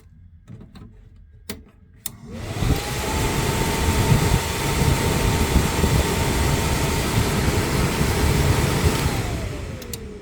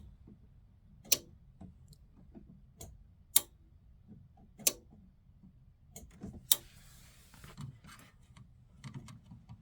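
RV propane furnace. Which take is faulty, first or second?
second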